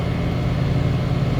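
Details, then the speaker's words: Condenser of a 2-stage central AC at a rental property, previously miswired so it wasn't running, running after the disconnect is plugged in, contactor pulled in; steady even low hum, no knocks, rattles or surging; normal running. "I plugged the disconnect in and it immediately started running. So it was just miswired."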